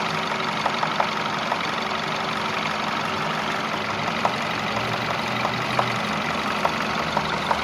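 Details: Peugeot 508 1.6 THP engine at idle: sharp, uneven ticks knock through roughly every second over a smooth hum; an engine knock.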